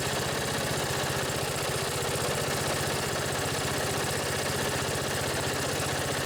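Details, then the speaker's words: Old Briggs & Stratton single-cylinder riding lawn tractor, started after battery charging: a steady, even low thrum with no knocks or hunting, purring smoothly at idle. Upper-end rpm could use some work. "pretty sweet that old briggs just purrs like a kitten you could use a little work on the upper end rpms that's good enough for me"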